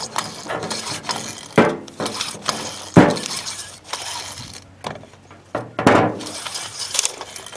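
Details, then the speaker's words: Manco mini bike recoil starter, opened and sprayed with lubricant (suspected worn or dirty, rusty, unlubricated spring, not crash-related): irregular metallic clanks and rattles every few seconds as the rope is pulled; spring disengages and loses tension, rope not retracting. "Oh, that's not good. You guys hear that? It sounds like there's something going on inside here that's causing the spring to lose tension."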